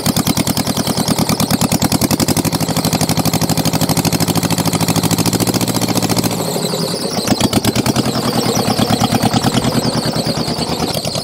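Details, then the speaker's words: Mitsubishi diesel tractor saved from scrap at a settled idle after a hard start aided by glow plugs: steady, even chugging with clean firing and no misses or knocks; running healthy. "good Lord that was a battle clamoring away pretty good now"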